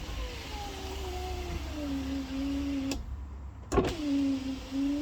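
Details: Volvo V70 rear left power window after replacing its faulty relay with a Bosch unit: smooth motor whine that settles lower as the glass travels, stops with a thunk, then runs again; window working properly.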